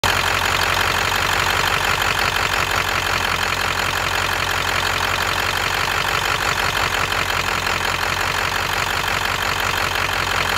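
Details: V8 at idle with an uneven, loping beat that stumbles now and then, a rolling misfire; the owner suspects cylinder #8, but the cylinder is not confirmed.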